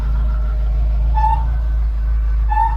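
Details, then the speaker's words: Mk5 Ford Cortina 1.6 GL, Pinto engine, idling after Accuspark distributor fitted and timing set to 10 degrees: steady low idle with a short hollow goose-like hoot about every 1.25 s; PCV valve drawing fumes normally. "a very strange noise, and it's not James. It's not a goose flying overhead. It's this. So this is your positive crankcase ventilation, and it's all right."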